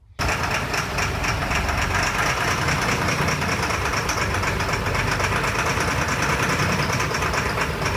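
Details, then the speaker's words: Military LMTV diesel truck started by bypassing a non-working fuel shut-off solenoid with direct 24 V; catches into loud, clattery, uneven idle, not running right; owner to check solenoids and relays. "up now but it's not quite running right yet"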